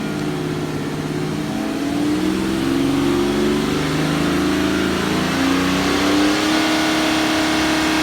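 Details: BMW N57D30 diesel at 325,000 km revved and held: uneven tapping stumble, about four a second, under the engine note like a misfire; owner unsure, possibly just a louder normal sound of this engine.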